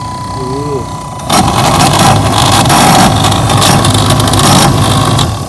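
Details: Chevy OBS truck heater blower motor: loud, uneven rattle over a steady fan roar once the blower kicks on; owner assumes the motor is at fault and replaces it, cause not confirmed.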